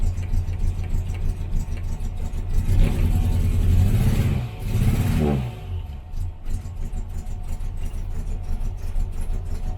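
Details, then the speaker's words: 1968 Morris Minor 1000, first cold start of the year after sitting in the garage with many failed start attempts, on choke: uneven lumpy running that stumbles when revved and falls back; misfire, owner checks plug leads and plugs. "we are having a misfire I'm just gonna check the [Applause] the leads"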